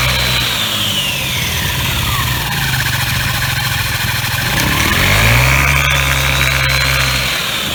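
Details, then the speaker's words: Scooter after swapping 5g Dr Pulley sliders for 5.5g TechPulley variator sliders, fired up in the rain before reassembly. Steady, even running behind rain hiss, with no stumbles or rattles; normal running. "Well, that seems to be running smoothly enough from what I can see and from what you can see from the film."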